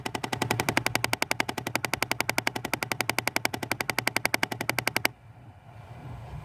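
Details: 2005 Jeep Grand Cherokee Laredo 3.7 V6, rattle behind the dash at the air ducts as soon as ignition is on: sharp, even clicking about four a second, then stops; one actuator pulled without fixing it, changes with vent direction, source unknown.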